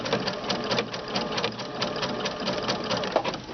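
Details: Sewing machine with a fringe looping foot, its thread bar bent down so thread pops off the back: steady even stitching chatter with a light quick rhythm, no snagging or knocking; sewing normally.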